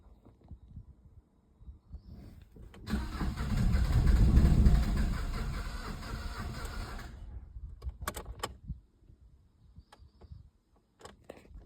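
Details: Opel Astra H 1.7 diesel: the starter turns the engine over at an even churning rhythm for about four seconds, then stops without firing; it cranks but won't start.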